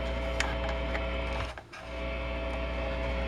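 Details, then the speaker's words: Ampeg GT-10 guitar amp after capacitor repair, input open: steady even hiss over low mains hum, no scratching; hiss disappears with an instrument plugged in, so normal amplifier noise. "it's pretty it's pretty loud when you plug an instrument into it it all goes away so i mean now it's just like normal amplifier"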